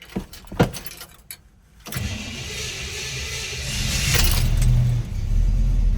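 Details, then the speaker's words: 1965 Chevrolet El Camino with a 283ci V8, Powerglide automatic, Edelbrock carburetor and dual exhaust, cold start with one pedal pump; a couple of clicks, then it catches quickly and settles into a steady, throaty idle with no smoke; normal cold start. "starting procedure pretty easy um I just give it a pump and then it starts right up I do let it warm up for a minute or two"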